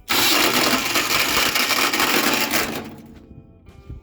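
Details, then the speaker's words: Harsh high-pitched whirring grind from the newly fitted starter on a roughly 40-year-old Hinomoto diesel tractor, spinning nearly three seconds before winding down after rewiring with blade connectors; starter won't disengage. Cause suspected, not confirmed. "Wow, that did not want to stop. That sounds terrible."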